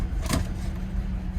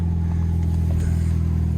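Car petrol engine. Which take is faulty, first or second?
first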